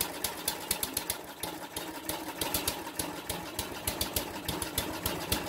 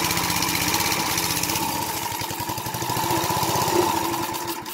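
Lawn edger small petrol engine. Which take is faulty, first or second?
first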